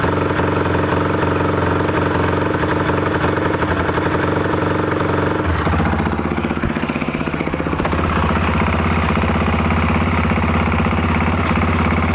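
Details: Can-Am DS 450 single-cylinder idle with a rough, rattling chatter riding on the thump, roughly four beats a second; abnormal engine noise, cause unclear.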